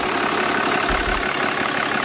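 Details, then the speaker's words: Third-gen diesel truck with new compound turbos and fresh AMSOIL oil, checked for leaks: steady, even diesel clatter at idle, quiet, with no misses or knocks; normal idle. "brand-new oil in here really quiet Wow I like this you know AMSOIL quiet"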